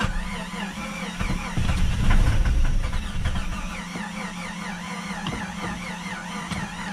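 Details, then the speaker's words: Free Jeep Cherokee, long sitting, on starting fluid with old or no fuel: fast, even cranking about four beats a second with brief uneven catches that never run; crank no start, suspected lack of fuel. "she's just not happy I guess I'm gonna go get a couple gallons of gas put that in there maybe it's the old gas that's not helping maybe it's the no gas that's not helping"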